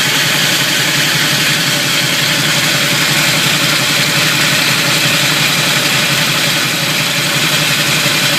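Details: Camaro at low idle: steady, loud gritty grind around the flexplate/torque converter, worsening from a stop and shifting between drive, neutral and reverse; minor chipped flywheel teeth at the starter, bolts tight, still drives and shifts fine.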